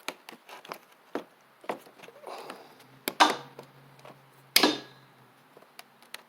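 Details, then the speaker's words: Husqvarna Z4822 zero-turn mower, long stored, PTO switch on with the 30 A PTO fuse in place: sharp electric clicks as the blade clutch engages. Normal PTO switch and clutch engagement. "You hear the clicking. So we've got the PTO switch, or PTO clutch clicking now. Should engage, so it tells me that the PTO switch is good, the clutch is good, and all that."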